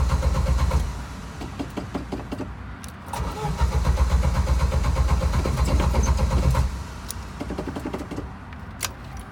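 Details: Original Jeep YJ with a changed alternator that keeps dying while driving, with a rich gas smell: starter turns the engine over evenly at about four beats a second in two long bursts, but it never catches. Cause suspected, not confirmed.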